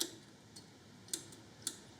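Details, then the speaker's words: Victa 10-42 / MTD 145-760A lawn tractor, about 50 years old (1970s), first start attempt in many years, battery 13 V: several sharp isolated solenoid clicks, no cranking; starter never turns. "And if we do, well, we can hear this thing clicking. So that's fine."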